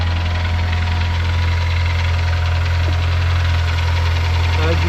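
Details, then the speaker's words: Crash-damaged 2005 Honda S2000 at idle with a light, uneven knock about four per second, EPS light on; owner suspects chain rattle or a loose or stuck tappet, but top end and conrod bearings checked and the source remains unfound. "you can tell, it doesn't sound very healthy. Not good. Sounds like chain rattle. Sound like a loose tappet or a stuck tappet."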